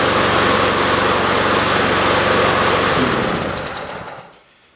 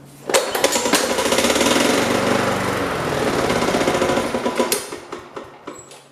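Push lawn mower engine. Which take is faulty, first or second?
second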